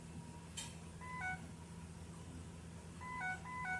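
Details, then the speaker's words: 2007 Ford E350 Econoline XLT: the AdvanceTrac with RSC warning chime repeats over a quiet idle, switching on as the van rolls forward. The cause is a faulty wheel speed sensor, which was then replaced. "now it moved forward and went back on the vehicle rolled forward this is telling me there's a sensor"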